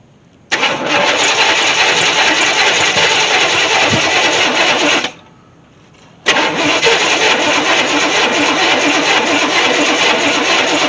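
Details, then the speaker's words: 1964 Chevy Impala SS convertible, sat 35 years in a shed, cranking with gas poured down the carb after a spark plug was refitted: two long cranking bursts, steady churn with faint catches but never runs on its own; battery cables getting hot. "all right well I had some really promising tries"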